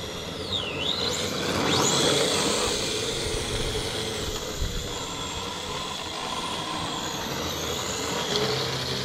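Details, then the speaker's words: Unfinished RC drift car: motor whine rises and falls, with a fast rhythmic buzz about three beats a second at full steering lock. Vibration heard when steering to full lock. "Tiens, tu entends la vibration là. Quand je braque à fond."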